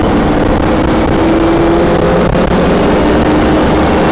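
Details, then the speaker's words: 1997 Safari Trek Pathmaker 2480 motorhome, 454 V8, four-speed automatic with overdrive, accelerating onto highway toward 40–50 mph: deep even drone climbing smoothly, no ticking or puffing; earlier exhaust leak is gone, now quiet and normal. "As you can hear, the engine doesn't have any exhaust leak anymore. It did when we drove it from Charleston to Greenville, South Carolina. Now it's much quieter, normal V8 454."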